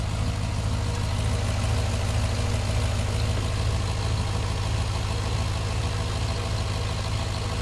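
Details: Cadillac engine after heavy rain, codes for cylinders 1 and 7 plus random misfire; deep, loud, lumpy uneven idle; misfire at idle, cause not found (owner next tries new coils and MAP sensors).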